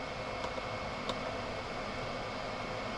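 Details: Chinese 5kW diesel heater in motorhome, unplugged before cooling down; fan runs on after shutdown though cold, gauge reads hot; constant airy rush, no cut-off; open-circuit temperature sensor, factory reset attempted.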